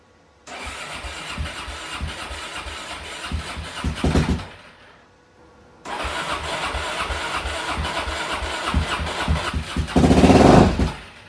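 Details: Suzuki DRZ400 after a fuel valve change, battery charger on boost, clutch held: long cranking that dies out, a pause, more cranking until it stumbles alive and revs with heavy smoke; hard start, cause not confirmed.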